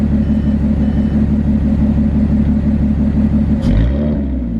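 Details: Audi S5 with Borla exhaust (resonator delete) and AWE tuning intake: steady throaty idle with an even pulse, then one crisp light rev dropping straight back; smooth, healthy exhaust note.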